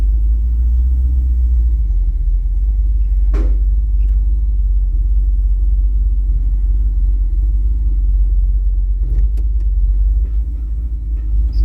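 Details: 1984 Dodge D150 with a 360 small block idling in park, rattling stops in reverse and neutral and with a little gas; owner suspects a torque converter weight or broken parking pawl; deep idle with a loose, uneven rattle underneath; torque converter rattle.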